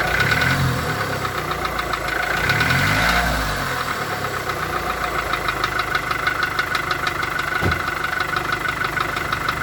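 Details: VW Golf 4 1.4 16V engine at steady idle with a fairly regular tapping knock, roughly three per second, over the engine note; engine knock, cause unknown.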